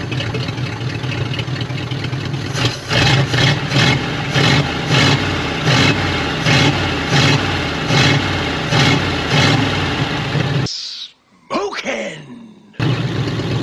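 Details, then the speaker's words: 1950 Ford Flathead V8, off the road 50 years, freed and carb rebuilt, run briefly without coolant; lumpy uneven loping idle, seemingly missing one cylinder, low compression found in testing. "Well, that was positive. Like it's missing one cylinder."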